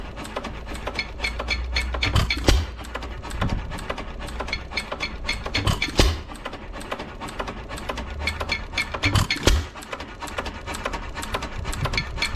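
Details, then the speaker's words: 1909 Lauson 2.5 HP hit-and-miss engine, unrun for about five years, with a rebuilt igniter fitted, running outdoors: slow, easy chugging with a firing beat every three to four seconds between coasting strokes; running well. "anyway sitting out here running good new igniter or rebuilt igniter is working perfect"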